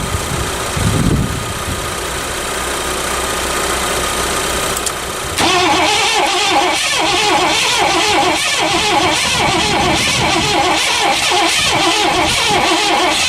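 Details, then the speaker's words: 1984 Lincoln Continental after sitting all winter, new battery: long, uneven cranking at about four beats a second with no firing; negative battery terminal left loose over winter, tightened afterward and it then started. "Alright, we're going to tighten this down because that was off for the winter, and then we'll give her another shot."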